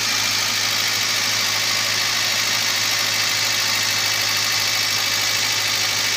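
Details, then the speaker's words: Toyota Avanza at idle after replacing the failed ignition coil/spark plug that caused misfire and shaking: constant, even, stable idle with smooth hum under hissy top end, no stumbles; normal idle. "Oke sahabat semua seperti ini ya jadi sekarang suaranya sudah bagus sudah anteng sudah stabil kami rasa"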